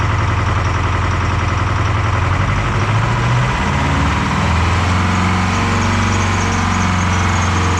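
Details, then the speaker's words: Detroit 4-53T turbo two-stroke diesel with 9G90 injectors on vegetable oil after loose suction hose clamp caused low fuel pressure: uneven lumpy idle with a missing pulse each cycle; running on three cylinders, injector number two not firing. "so it's only running on three cylinders and that's on vegetable oil it's injector number two"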